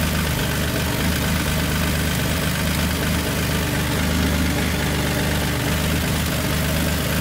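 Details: Nissan G35 (turbo) idling after a new starter and battery fusible link were fitted, starter having had high internal resistance: deep, steady idle with an even low rumble, no misses, knocks or squeals; running smoothly.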